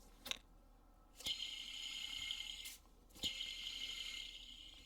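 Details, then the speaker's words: Idler pulley with the belt removed, spun by hand close to the microphone: two spins each give a dry, gritty rasp of about a second and a half, fading as it slows; worn idler pulley bearing. "And hopefully you guys heard that. That is the sound of the bearing in here starting to fail. You shouldn't really have that much noise coming out of it."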